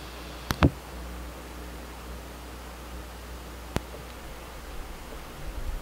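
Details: New Pioneer class-D car amplifier (GM-D9601/GM-D8604), lapel mic on speaker, gains down, RCAs unplugged, grounds and power checked: quiet steady hiss with sharp turn-on pops; hiss varies with gain, cause not pinned down.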